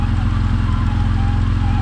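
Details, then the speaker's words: Vauxhall VXR turbo project, first start after engine installation: a faint, steady mid-pitched whine rides over the even idle rumble; the noise is the power steering pump, which is to be replaced. "That's the power steering pump making that noise. So we have got another one to go on it, which is a bit of a pain in the arse, but hey ho."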